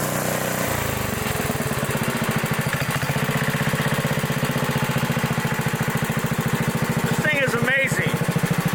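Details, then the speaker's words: 1960s Bolens Lawn Keeper 28-inch mower, carburetor not yet adjusted, untouched at least 15 years: rapid, even single-cylinder thumping holds a steady beat while mowing, no misses or knocks; runs sweetly. "it sounds good it runs good I have not adjusted the carpetrator at all"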